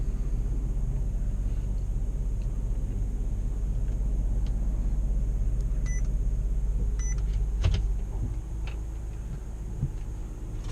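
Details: 2013 Chrysler 200 with sporadic no-start/no-crank, after adding an extra 4-gauge ground wire and reconnecting the battery: restart catches right up, steady even engine hum with a couple of chime beeps; runs healthy, fix still unconfirmed.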